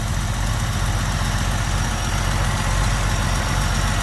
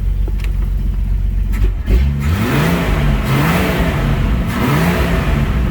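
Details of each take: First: AMC 199ci after reinstalling rocker shaft and cleaning oil passages, mismatched Holley 1920 carb, idling about 800 rpm: steady even idle with light fuel-pump-cam tick, top-end noise gone; slight hesitation, carb suspected over-jetted. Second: AMC 199ci, warmed up to spec, after the rocker shaft was reinstalled and the oil passages cleaned, running a mismatched Holley 1920 carb. Revs hang and stumble briefly off idle but not under hard throttle; timing or too rich a jet suspected.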